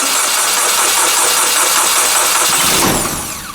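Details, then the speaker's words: Kubota K008 mini excavator at 166.6 hours, ran days earlier: labored, slow, uneven starter turnover that never catches then winds down; cranking too slow, owner suspects weak battery or parasitic drain. "wow she might not start here oh she's not cranking fast enough that battery might be might be pooched"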